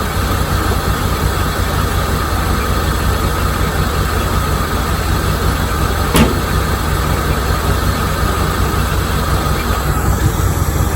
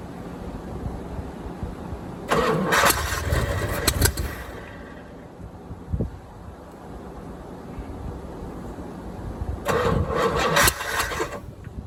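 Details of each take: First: 1987 C4 Corvette TPI V8 running after a mass airflow sensor was plugged in, slight vacuum leak in the runners noted: steady, even low idle with a smooth rumble, no knocks or misses. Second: 1987 C4 Corvette with the TPI removed and a marine carburetor fitted, fuel bottle-fed: two rounds of cranking catch briefly and stumble, with one sharp backfire pop between them; the owner thinks ignition timing is off and needs readjusting.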